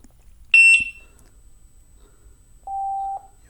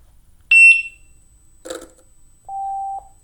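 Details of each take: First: Gotway EXN electric unicycle opened up, fan exposed after the wheel fell over: two high power-on chirps and a steady lower tone, with the fan's test spin clean and quiet, no rubbing or rattle, shell off. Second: Gotway EXN electric unicycle opened up, pressure applied as if the shell were on: two power-on chirps, then a short buzzy rattle as the spinning fan blades clip a heatsink fin bent by an impact.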